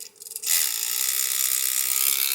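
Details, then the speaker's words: MEUS MB18 RC crawler with brushless motor, low-range transmission gears: constant high raspy whirring and grinding as the motor spins up; gear grinding, gears later swapped for non-low-range metal gears. "I'm going to go ahead and figure out where that noise is coming from hopefully it's something easy"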